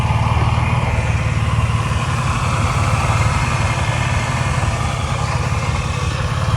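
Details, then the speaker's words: Nissan Maxima VQ35 V6, freshly supercharged and not yet tuned, idling: deep fairly steady pulse that wavers slightly, a mildly rough idle; owner says it is running rich. "you can hear the idols a little but it's like not that bad it's just running rich"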